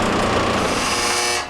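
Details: Maytag LDE390 electric dryer running with a steady whirring roar and an uneven hum over it; lint buildup and a dryer sheet on the blower wheel throw it off balance.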